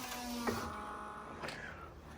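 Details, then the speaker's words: Mercedes W124 300E just after new fuel injectors were fitted: key-on fuel pump prime without starting. A short electric hum whose pitch drops and settles as pressure builds; a normal prime before cranking. "tim's going to do that with the key uh but not starting the engine obviously and just listening to it to hear the change in frequency of the pump because once it slows down you know pressure has built and it's probably ready to start cranking"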